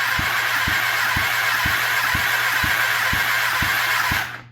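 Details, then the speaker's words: Kawasaki ZX10R basket-case build, compression test cylinder 2 while cranking: steady starter whir with even thump about twice a second; slowly climbs to only about 100 PSI versus 195 on cylinder 1, possibly from long sitting. "Alright guys, so that thing's only showing like 100 PSI, which indicates a problem. Not necessarily a permanent problem. It could be because this motor's been sitting for quite a while now."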